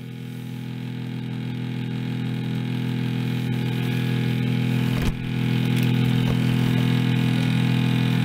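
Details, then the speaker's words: Refrigerator fan motor: steady low droning rumble with fine rhythmic flutter from a worn motor bearing with big shaft slop. "the motor is falling apart basically you feel the slop a big slop in this fan here first time i've seen these go out"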